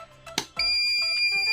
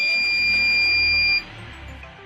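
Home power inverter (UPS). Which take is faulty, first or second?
first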